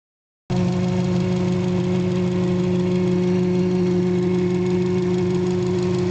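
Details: 2007 Subaru WRX, warm idle after TGV delete and intake manifold reinstall: steady low drone with fainter higher tone from the intake, persisting with filter off, louder when turning the wheel, subsiding on light throttle taps.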